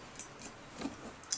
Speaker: вот очень большие скрипы и правило очень раздражает бывает некоторых